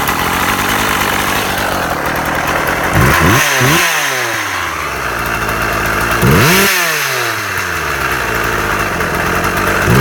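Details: Husqvarna 36 chainsaw after repair (impulse piece suspected at fault), warmed up: steady two-stroke idle with two quick clean throttle blips rising and dropping back smoothly; restarts first pull every time; normal idle and revving.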